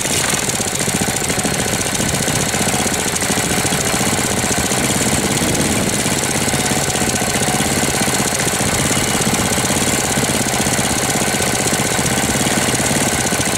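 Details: 1998 Briggs & Stratton 60 (6 hp) Intek Edge single-cylinder, first run in a long time after oil change and hoses, cold, air filter removed; harsh rattling knock every stroke at steady speed, sounds like seizing though oil is at level; cause unclear.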